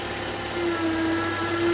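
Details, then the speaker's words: 2011 Toyota Camry running: a steady mid-pitched hum cuts in over quiet idle when the alternator connector clip is reconnected and stops when it is removed, confirming the alternator needs replacement. "you can hear it again remove the grip it's quiet connect it you hear it so that confirms the alternator needs replacement"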